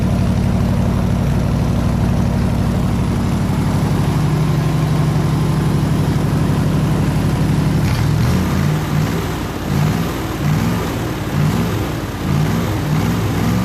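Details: 302 V8 air-compressor engine, warm at 160 degrees with 9 psi fuel pressure, on re-ended plug wires: settles into a smooth, even beat, then a steady rhythmic pulse as load comes on; normal healthy running.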